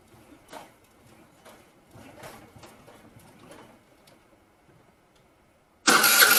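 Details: Vespa scooter cranked by a rider: faint, slow, uneven cranking strokes that never catch or speed up; turns over but won't start.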